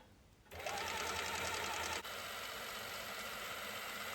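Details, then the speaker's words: Norton Nemesis 1500cc fuel-injected V8 prototype, rebuilt with cylinder heads fitted, first crank on a small battery via starter motor: fast, even mechanical whirring, no knocks or grinding, camshaft spinning and oil flooding up through the bearings; healthy. "I connect up the earth terminal and I'm really pleased to see the camshaft spinning around nicely, and after a few seconds oil flooding up through the bearings, which is a really good sign."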